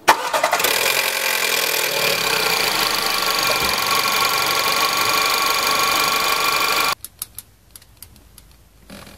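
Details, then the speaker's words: Petrol engine cranking and catching with a harsh, dense metallic clatter from a slack timing chain, as hydraulic tensioners fail to fill with or hold oil, so the chain rubs the engine. "el siguiente sonido es la cadena de distribución esta contiene tensores hidráulicos que a veces no se cargan de aceite o simplemente ya no lo retienen dejando a la cadena floja y que esté constantemente rozando con el motor se escucha de esta"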